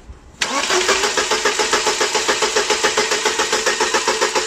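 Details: 1999 Mercedes-Benz C180 W202 with 108 engine, fault code P0335: starter cranks steadily at about three and a half beats a second with even compressions after codes erased, but engine never catches; crankshaft position sensor suspected, not confirmed.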